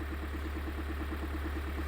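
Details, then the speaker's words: 2022 Kia Sorento 2.2 diesel at idle: steady deep knock several times a second persists after replacing the dual-mass flywheel; oil pan was off and rods and crank were found fine; the sound seems to come from the gearbox, cause undetermined. "Вот она стоит заведённая. И мы слышим тот же стук."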